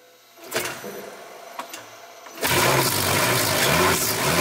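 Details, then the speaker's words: Nissan 350Z track car (500hp naturally aspirated) with added hybrid system: electric motor spins engine without fuel or ignition, holding about 200 rpm then rising toward 800 rpm; even low-rev churning with steady pulses, no firing, engine motored without combustion. "you can hear it sounds like a normal engine but I can assure you there's no gas tank in the car that was not the engine running that was just a motor spinning it"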